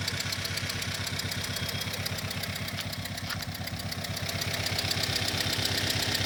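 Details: Engine at steady idle, microphone channel synced to an ignition trigger: a light regular tick on every firing pulse, keeping time with the engine; a deliberately created engine-timed noise traced to cylinder three.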